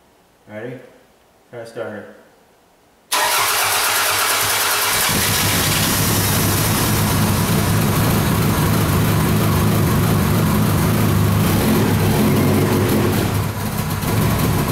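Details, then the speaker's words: Toyota Camry after broken timing belt replacement (non-interference engine), first start since towed in, throttle wide open: two short cranks, then catches into a loud, steady idle; it smokes while clearing what is believed to be flooding from earlier start attempts. "I believe it was just so overwhelmed from trying to start it so much that it uh had itself flooded all out he's clearing up thank god"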